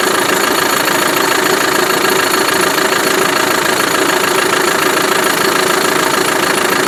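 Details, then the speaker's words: Land Rover Defender 110 300Tdi diesel from Ghana, after start: crisp even diesel clatter at steady idle, no misses or heavy knock, snappy when revved, a bit smoky (possibly blocked separator); normal idle. "TDI snap to it when you rev it up. Not too bad."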